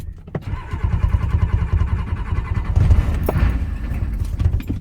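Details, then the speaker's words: Ford 6.9 IDI diesel dump truck with new high-torque gear-reduction starter: low steady cranking for several seconds without catching while starting fluid is sprayed; air intrusion suspected. Cranking without starting. "well it's turning over let's hit her with some cobb as we saw i just kind of pushed this down out of the way give her a little squirt ski should get her to fire"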